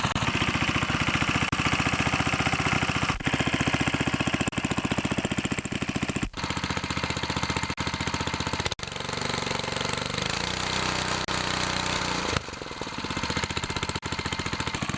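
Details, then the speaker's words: Older Briggs & Stratton 3.5HP rototiller engine after a carburetor rebuild, with the carb readjusted to 1 3/4 turns out: fast, even single-cylinder pulse with brief dips as it settles. Normal steady run. "everything runs good what I did is I readjusted the carburetor"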